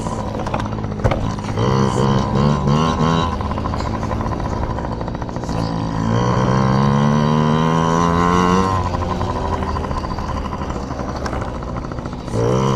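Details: Yamaha PW50 two-stroke, just after carburetor cleaned (jets, float checked) to cure bogging and dying at wide open; warmed up, being run dry: crisp buzz climbs cleanly each rev, settles back without stumbling or bogging, healthy.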